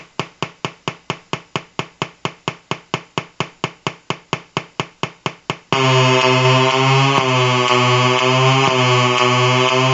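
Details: Colour-changing LED bulb on 4.5–6 V DC batteries: quick even ticking about three per second, then steady buzzy hum with rising pitch steps; interference noise from the LED driver.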